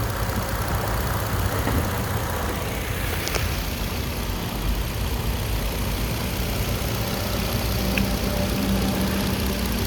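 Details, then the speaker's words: 2013 Nissan Xterra 4WD, 3.5 V6, one owner, 122k miles, idling; steady even hum with no knocks, ticks or misses; engine very healthy, responsive, revs up well. "so engine is very healthy especially for these 3.5 Nissans it's got a lot of response sounds good revs up good"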